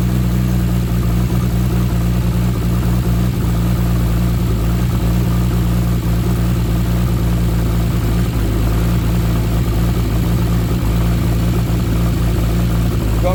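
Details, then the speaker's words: Nissan R33 Skyline with freshly built forged RB25DET, first start after engine install: loud deep idle with uneven stumble, light ticking and raspy puff; misfire, lifter tapping and a bad downpipe exhaust leak, misfire and tapping hoped to ease as it runs in. "it's got an exhaust leak from the downpipe which we need to tighten up because it's quite bad and uh hopefully when it runs in a bit more it'll stop misfiring"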